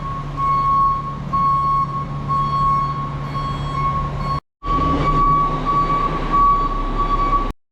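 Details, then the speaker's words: Single-axle diesel truck with new bed: steady pulsing backup beeper near one kilohertz, about two beeps per second, over the idling engine; normal working reverse alarm. "well so single axel's done it's got a new bed on it and a backup beeper"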